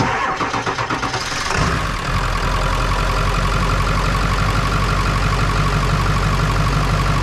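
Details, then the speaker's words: Ford 7.3 Power Stroke diesel that cranked slowly, one battery doing the load, after fixing the battery connection: strong even cranking about four beats a second catches within two seconds into smooth idle; 14.3 V both batteries. "that sounded a lot better all right that's 14-3 let me check the other side"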